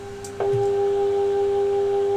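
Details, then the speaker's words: Aristocrat console radio under restoration, signal generator injecting about 440 kHz IF: clean steady tone switches on and holds, some hum at full power; the stage is passing the signal, working there but weaker elsewhere. "so it's working there not so much there oh I can just hear it I'll put it on full pair and see what happens lot of hum I can still hear it so it is getting through"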